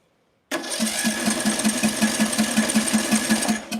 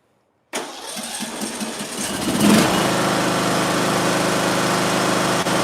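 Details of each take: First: Small engine with ignition coil air gap set wide in a coil-gap test, no choke: starter turns it at an even four or five beats a second with no firing; cranks but won't start, spark present but weak. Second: Small engine after closing up the ignition coil air gap, started without choke: catches at once and settles into an even, steady run with no misses, then shuts down cleanly; healthy running.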